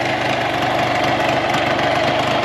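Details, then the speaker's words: Tohatsu 9.8 long-shaft outboard after maintenance: smooth steady buzzing idle, constant pitch, no hunting, misfire or knock; no leaks, shuts off cleanly; normal idle. "No leaks, no gas leaks, or anything. And the motor shuts right off."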